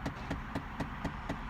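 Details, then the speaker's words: Chevrolet Impala: steady light tapping about four times a second from behind the dash on the passenger side, attributed to a failing AC/HVAC blend door actuator. "That is in the AC actuator. They're on the passenger side of the car."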